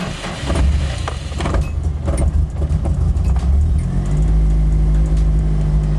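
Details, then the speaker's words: Nissan 240SX (Sil80) misfiring since refuelling, before fuel pump replacement: slow, labored four-second crank into uneven idle; fuel starvation from loose in-tank pump hose, missing insulator, pump hanging; fixed with Walbro 255 pump. "So, as you can hear, it's really slow to start up. It roughly starts up, and if we do go to drive it anywhere and give it any gas, it starts to misfire like absolute crazy."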